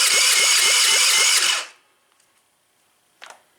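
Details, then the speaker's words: Tao Tao engine, oil full and fuel reaching it, cranked on the electric starter with choke: high starter whirr with regular compression dips about four a second that never catches; owner suspects low compression, possibly a burnt valve. "Let's try choking it out good. Still nothing. We're getting gas to the car, that's for sure."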